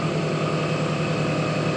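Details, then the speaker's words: Carruthers AE5000-2D with blades and belts removed, test running motors: smooth constant electric hum, no knocks or bearing noise; two horsepower spiral motor drawing about 1.5 amps no load, motors running normally. "everything looks like it should two horsepower spiral motor that's about right 1.5 amps no load"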